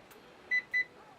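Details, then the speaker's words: Dryer klixon temperature thermostat after manual reset by pushing a pointed object into its hole until it clicks, retested with a continuity meter: two short clear high beeps; thermostat conducts again and is working. "et la super on constate que cette sonde réparé donc vous avez effectué à l'instant même votre réarmement pour votre seconde"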